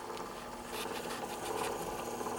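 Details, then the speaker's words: Early 1917 Victor Victrola VV-XI spring motor, repaired and reinstalled, running near wound-down: soft, even whirring with a light steady tick from the fast-moving brass gear; normal sound. "that is the sound of a patrola motor on average on average this is a normal sound for and what you're hearing is that brass gear because that is the fastest moving gear on the machine on the motor"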